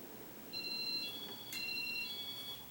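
Two soft, high electronic tones sound in quick succession, each about half a second; that's the normal signal for the fan reversing.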